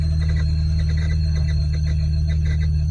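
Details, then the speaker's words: 1991 BMW 850i E31: heater blower motor steady high-pitched scream over a deep drone, running even when switched off; blower motor squeal. "It was screaming the whole time I drove over here, even though it was off. So we definitely need to address that."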